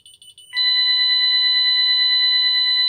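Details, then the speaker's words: Ademco 6128 keypad, armed stay, with the police zone activated: a few stuttering chirps, then a loud, steady, high-pitched burglary alarm siren while the display shows alarm 08. "And now you can hear that the alarm is active. So it should pop up here with alarm 08 right there."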